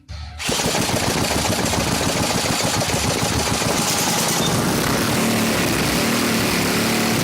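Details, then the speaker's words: Briggs & Stratton 3.5 hp engine run with ATF and WD-40 in the oil, leaking black gunk from the head: rough uneven running with loud irregular pops, fireballs and red-glowing exhaust pipe; misfire with exhaust backfire, cause unconfirmed. "And now it misses a lot, and when it misses, it shoots big fireballs, and the whole exhaust pipe glows bright red"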